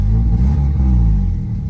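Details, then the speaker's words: Honda K20-swapped car after new headers and throttle body cleaning: deep, steady low rumble without hunting or surging, finally idling under 1000 rpm instead of about 1500; normal idle. "it finally idling under a thousand RPMs look oh look how low that is"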